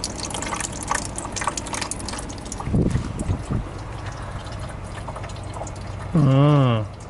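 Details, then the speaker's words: 1986 GMC S15 with 2.5 Iron Duke engine running, heard at the radiator: bubbling, trickling gurgle over the engine; head gasket failure pushing combustion gas into the coolant. "not a good sign you can actually hear gurgling man"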